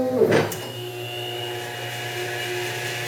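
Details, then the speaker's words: Milling machine reaming a knife blade pivot hole with a reamer at slowed spindle speed: brief squeal at the start settling into a smooth, steady low spindle hum; cutting cleanly at the right speed, normal reaming. "should be good you can hear it if it's at the right speed that sounds perfect it's just a little squeal at the beginning and then"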